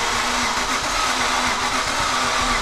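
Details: Aston Martin V8 Vantage that crashed into a store, fired for the first time after a year of work and priming: the starter churns briefly, then the V8 catches and settles into a strong, even run with no stumbling; a normal start.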